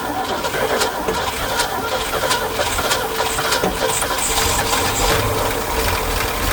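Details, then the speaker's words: 1969 Ford F100 with 360 V8, unrun for years, fuel added to tank, around attempt sixty: rapid cranking chatter, then catches and runs rough and uneven with slight lifter tap, barely holding itself; first start after long storage. "Oh, she's alive. Sounds like a little lift. All right. Well, she's alive under somewhat her own power."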